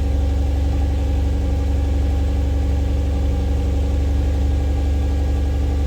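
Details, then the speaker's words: Mercedes C-Class swapped to a 3UZ-FE V8, cold start after standing 4 months, battery at 11.5 V, recorded outside: a deep, even idle burble with a smooth steady beat and no misses or knocks. Normal cold start. "I'm going to put you guys outside for a cold start a really cold start like a month ago cold start"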